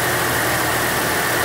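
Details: Chevrolet Sonic 1.6 with code P0011, first start after replacing VVT gear sleeves (camisas), fuel line had been disconnected: short steady even idle, constant mid-pitched drone, no obvious knocks or ticks.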